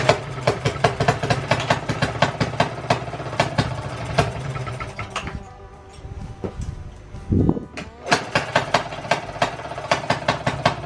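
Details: 1920s Maytag two-stroke washing-machine engine, said to be rebuilt, sat 5+ years, running with the flywheel cover back on: sharp, regular firing pops, about three a second, with a short gap midway, then steady again. Normal running.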